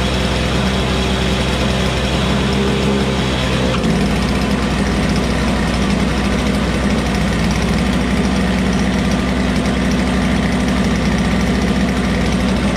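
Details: Toro Snow Commander snow blower, first cold start in weeks after priming, just needed gas; small two-stroke catches and settles into a steady, even buzz with no misses or knocks: normal running.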